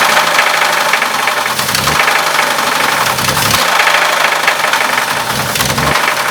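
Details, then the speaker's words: Old engine running at low RPM with timing set and vacuum lines loose: sharp metallic knock that comes through harder under pushed throttle; judged to be the rod, same crank. "You gotta push hard. That's the rod. What do you think? It's rod."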